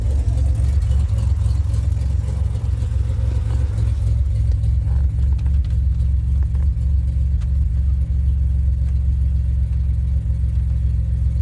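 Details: 2007 Pontiac Grand Prix after ICM and harness replacement: starts and settles into a deep, steady rumble with an even beat and no misses, knocks or stumbles; runs much better than before, normal idle.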